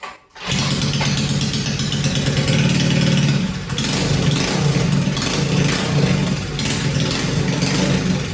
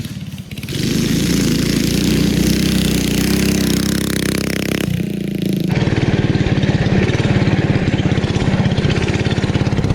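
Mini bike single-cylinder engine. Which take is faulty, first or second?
first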